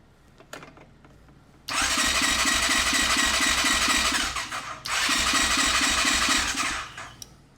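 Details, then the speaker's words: Suspected 2020 CF Moto 400 ATV, sold as blown engine: two bursts of quick, light cranking about three beats a second, no firing, spinning too freely. Fuel pump heard running while cranking; owner suspects no compression. "Huh. I don't think we have compression. It's turning over pretty fast."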